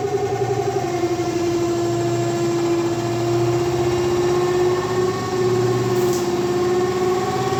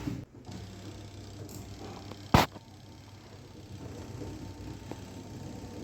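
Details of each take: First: LG 7.5 kg semi-automatic washing machine, dryer/spin side: loud steady droning hum with pulsing low rumble while washing works fine; cloth trapped in the spin tub causes the noise. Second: LG 7.5 kg semi-automatic washing machine spin dryer running after removing a cloth stuck inside that had caused loud noise: low, steady hum with no rubbing, knocking or scraping, now running normally.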